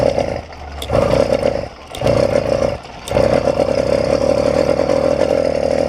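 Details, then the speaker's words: YD100 two-stroke bike engine after piston ring fix, riding: buzz keeps dropping out and picking back up at part throttle, jerky, bogging and nearly dying around half throttle; carburetor running too rich. "very jerky i can feel it going in and out of power"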